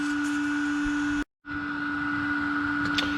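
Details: iCharger X8 charger with replacement high-rpm 30x30x10mm cooling fan, running during a discharge test: loud, steady hum with a thin, unwavering whine; normal running, unit now stabilizes about 142.5 degrees versus 162-163 degrees with the previous fan.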